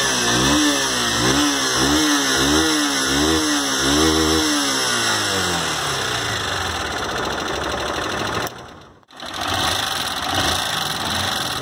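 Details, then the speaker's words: Honda Fan 160 motorcycle run about 2,000 km on the same oil, with barely 100 ml left; light fast ticking at single-cylinder idle with throttle blips from a worn valve adjusting screw and valve tip caused by poor lubrication. The timing chain was fine. "ó como que ele marcou aqui aí ele desgastou a cabeça da válvula marcou o parafuso por isso que ela tá fazendo aquele tec tec"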